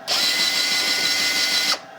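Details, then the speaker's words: US military RT-834 HF transceiver (GRC-106A), out of its case, with a frequency fault, retuned via the megahertz control: smooth, steady high tuning-motor whir about a second and a half, stopping cleanly; motor normal, though the module appears to switch off during tuning and unlock. "Now, if I go over here to the megahertz control, I'll just cause the radio to retune. So, we hear the motor run."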